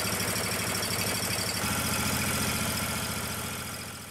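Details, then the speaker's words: Ditch Witch 1820 trencher small gas engine after fuel filter and vacuum-controlled fuel pump replacement: small single steady and even at fast idle, quick regular thud with no misses or surging; normal running. "But once it gets through there, it'll start right up."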